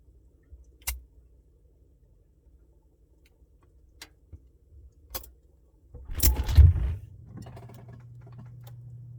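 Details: Samsung Bespoke refrigerator noise: a few sharp ticks, then a brief jangling rattle as the fridge kicks on into a steady low hum; rattle with no clear cause.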